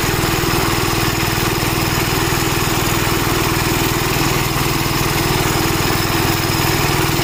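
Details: Gravely Model L tractor with governor, already run earlier, after its blown head gasket was replaced; single cylinder fires at an even beat of about four a second, held steady by the governor. Runs smoothly, though an oil leak remains to be found.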